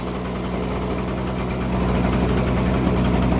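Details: Toro CCR 2500 5 HP two-stroke, after carburetor cleaning, muffler and carb full of oil: small engine buzzes steadily and evenly, slowly getting louder, no misses or surging. Now running properly after no-start.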